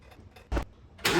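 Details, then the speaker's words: 2006 Porsche Cayman S 987.1 flat-six, after new spark plugs and ignition coils, exhaust refitted with O2 spacers. Cold start after sitting almost a week: two starter bumps, catches at once, runs smooth and steady with no smoke. "wow the cayman's been sitting for almost a week and there was really no smoke coming out which is kind of surprising to me but that's cool sounds like it runs well"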